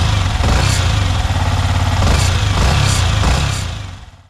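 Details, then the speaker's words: Yamaha MT15 (R15-type) single-cylinder engine idling after replacing the faulty cam chain tensioner (timing chain adjuster); steady even thump with no metallic rattle, some music underneath, previous irritating engine noise fully removed, normal idle. "So finally engine का जो noise है वह पूरा remove हो चुका है and engine से currently कोई इरिटेटिंग नॉयज नहीं आ रहा है"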